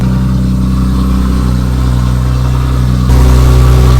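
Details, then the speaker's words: Nissan Skyline RB engine started after being parked up for a long time: smooth, even idle with a deep steady beat, then a clean rise in revs near the end; running healthy, oil pressure good. "She's still running, that's all that matters. We're good, we're good."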